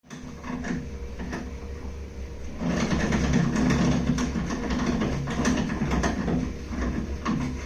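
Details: Baxi Duo-tec 40GA gas boiler in central heating mode: steady hum under loud knocks and bangs about twice a second, pressure bouncing, no fault code; fine in hot water mode, stops after restart; owner suspects restricted heat exchanger water flow.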